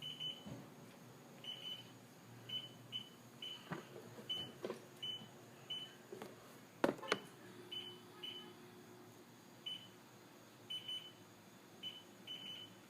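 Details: STX-15F that runs hot and won't start: short high-pitched warning beeps in irregular clusters with battery disconnected and ignition off, no engine running; suspected bad voltage regulator, not confirmed.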